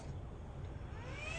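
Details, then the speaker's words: Taramps Big Boss 3 car amplifier after a no-power fix (failed resistor replaced), powered from a 30 A supply with a load on the output: quiet hiss, then a rising whir as the cooling fans kick on; amp working normally. "And, as you can hear, the fans have kicked on."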